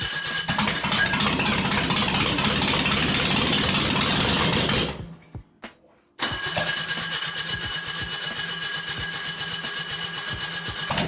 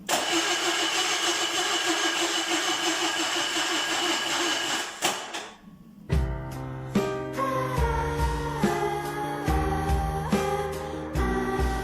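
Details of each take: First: Loud but steady start settling to an even idle with no misses: a $30 used junkyard engine swapped into a Zaporozhets, first run after a new distributor and a new distributor cap (center contact was missing), before head retorque and valve adjustment. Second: Zaporozhets with a cheap used junkyard engine, first startup attempt, new distributor fitted: starter spins the engine evenly for about five seconds without a catch; no spark because the distributor cap's centre contact was missing, fixed by swapping the cap.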